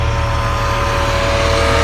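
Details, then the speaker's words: Bentley Continental GT (552 hp) on a cold start with the engine ice cold: a constant airy roar from the radiator fan running flat out over a smooth idle. The owner suspects a faulty temperature sender unit or gauge. "Strange that the cooling fan is running because again, this thing is ice cold, guys. This is This is a cold start."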